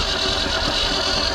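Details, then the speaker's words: 1973 Mercury Comet GT 302, first start attempt in 35+ years, battery not fully charged, some valves adjusted without the engine running. Cranks a bit faster with a steady churning hiss but never fires; cause suspected, not confirmed. "he got more turnover he got battery ain't fully charged got a little more turnover though"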